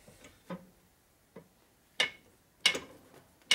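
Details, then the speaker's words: 1992 Harley 80ci Evo engine rebuild, crank turned by hand in cases after Trobodyne lubricant applied: sharp uneven ticks about once a second persist, so not lubrication; crankshaft bearing ticking from improper press fit on shaft. "Nope, still making the same noise. I wonder what that noise is then. Wasn't lubricant."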